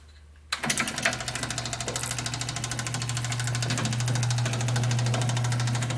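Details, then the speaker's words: Seeburg SMC jukebox mechanism motor, just after the motor coupler and rebuilt isolators were installed, with the CPU not yet rebuilt: it switches on with a quick thump, then settles into a steady low hum with light, even ticking. Motor runs normally. "The CPU, I haven't rebuilt it yet and put in my upgrade, but we'll just turn it on and see how the motor runs."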